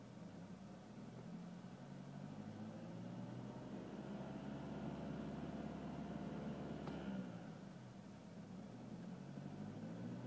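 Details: BMW E46 with N46 (N42) engine: as revs climb to about 2,200 rpm, a droning buzz builds over the engine hum. The cause was a slightly loosened steering column bolt (the one designed to break in a crash). Replacing the bolt eliminated the noise.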